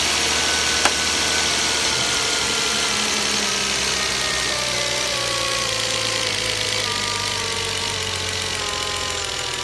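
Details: 2012 Volvo S60 T6 3.0L, 87,000 km, cold start idle: hum broken by sharp isolated clicks like knocking on hard plastic, seemingly from top or back of engine; intermittent, gone when warm; dealer couldn't pinpoint the cause.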